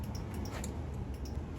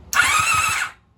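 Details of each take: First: 1983 Honda Magna V65 1100 (VF1100C) electrical test, engine started: quick light turn-signal relay clicks near four a second, faster than normal because the rear signal bulbs aren't connected. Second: 1983 Honda Magna V65 1100 (VF1100C) on external power: a short burst of even starter cranking, about eight beats a second, turning freely without binding; starter and solenoid work, engine not seized.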